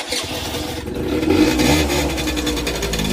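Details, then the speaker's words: Peugeot Speedfight two-stroke moped after refitting the CDI unit and rewiring, running on its own power source: buzz rises on a quick blip then settles to a steady, even idle with no misses or rattles; starts bang on, runs healthy. "Wiring all to the bits it's supposed to go to, and yeah, and it starts bang on."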